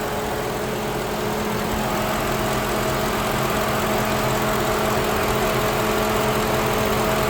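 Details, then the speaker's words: Lincoln Town Car at warm idle, engine temperature holding at normal, after replacing the electric radiator fan motor that had worn out after 19 years. Steady whoosh of the new fan with even hum, no rattle or scrape; normal cooling fan operation. "Boy, it's good to hear that fan going. Yeah, I haven't heard that for a while, guys."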